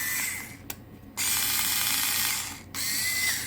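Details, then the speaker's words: Parkside PAS 4 D7 cordless electric screwdriver, new, short no-load runs in forward: loud, steady high whine starting and stopping with the trigger, stranger and slightly grinding compared with reverse; loud gear whine. "Chodzi dosyć głośno. Na prawidłowym biegu, już na pierwszy rzut oka. Nie wiem, czy usłyszycie, słuchajcie. Jest taki dziwniejszy troszkę dźwięk niż na wstecznym."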